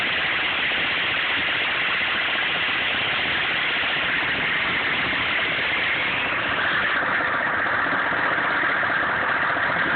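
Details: 1995 GMC K3500 6.5 turbo diesel, 78,000 miles, idling with an uneven, loping, shaky clatter; misses under full load, dies off throttle, sometimes won't start, several codes; owner suspects PMD or injection pump, unconfirmed.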